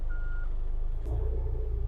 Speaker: now i'm going to check the reverse alarm on here by holding down the brake and putting it in reverse i hear the beeping sound so that means my reverse alarm is working